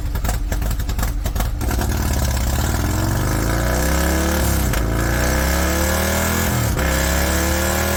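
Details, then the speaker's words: High-mileage Harley-Davidson V-twin with S&S 129 Power Plus kit, big injectors and kit cam, on dyno: rough lumpy pulses climb smoothly in pitch through several hard pulls, dropping back between; normal revving. "136 horsepower, 154 foot-pound of torque. This thing is just insane. All mid-torque."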